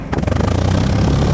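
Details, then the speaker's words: 1990 Canadian-spec Jaguar XJ12 V12 idling with an uneven, lumpy exhaust beat and recurring stumble; one bank missing, other side much smoother, all injectors confirmed firing, ignition wires to be checked next; misfire at idle. "Now we see it's missing cuz you can see that um the other side is much smoother."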